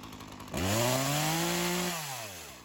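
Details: Craftsman chainsaw that sat for years, rerun days later after cool-down: crisp two-stroke rev climbing cleanly, holding steady buzz, dropping back smoothly without stumble. Carb acting more natural; tip test shows no head gasket or crank seal leak.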